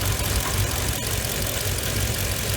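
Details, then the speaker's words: Rough, lumpy idle with a faint rattle from the throttle body on a Mercedes W463 G500 V8 with no check engine light, intake off the air cleaner and MAF; throttle body felt vibrating; P0444 purge valve being diagnosed, cause suspected. "you can hear a weird when I go up there you'll hear a weird rattling down from the throttle body I put my hand down there I can feel the throttle body actually vibrating back and forth which is causing these lumpy idle"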